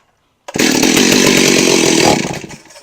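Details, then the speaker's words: Stihl 038 Magnum vintage chainsaw (72 cc, 4.8 hp), during carburetor clean, tank was low on fuel: fires with a loud rough burst, then sags and dies within two seconds, bogging straight out under throttle; cause not confirmed. "bogging out right away let's just shoot a little fuel in this thing guys"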